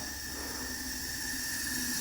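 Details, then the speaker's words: 1974 Yamaha TX500 after 27 years in a barn, engine not running, air leak test: constant, steady hiss of air escaping past right-cylinder valves that are not sealing, owner suspects carboned-up valve seats. "So, I don't think the valves are sealing on the right hand side cylinder. You can hear pretty pretty good there. So, that would be a problem."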